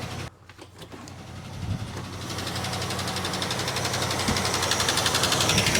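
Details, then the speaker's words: 1967 Plymouth Barracuda V8, long unused, misfiring badly at idle: fast steady ticking about four a second likely from one bank, source not yet pinned to a cylinder; old fuel suspected. "Sounds like a chaff cutter. >> Yeah. See if I can find out where the noise is coming from."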